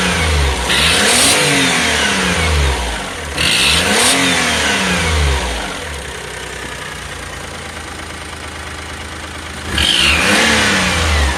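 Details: 2005 Daihatsu Atrai Wagon Custom Turbo R (S320G), over 170,000 km, revved three times when cold: a sharp puffing tick that speeds up with revs and fades once fully warm; the cause was a broken exhaust manifold bolt leaking exhaust.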